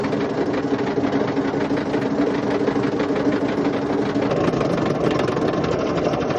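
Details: Indesit IWC71453 washing machine drum spinning with a loud, harsh grinding roar and rapid knocking over a steady hum; severely worn drum bearings on a still-working machine.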